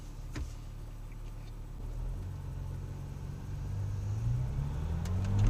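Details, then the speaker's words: Porsche 996 Turbo front suspension in a sharp 90-degree turn after fixing squeaking, popping control arm bushings that had been installed wrong: arms loosened, retightened with the car's weight on ramps, bushings greased. Steady road rumble, no squeaks, pops or clunks; quiet. "sharp turn listen up nothing quiet as a church mouse works great"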